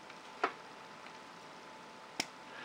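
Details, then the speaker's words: Onoto The Pen No 5601 (De La Rue, late 1930s) plunger fountain pen after full service with new cork seals, filling from ink: single crisp pop as plunger bottoms out; normal healthy plunger filler pop. "like so and I'm hoping you can actually hear that sort of popping sound to the end there which is precisely what we want to hear"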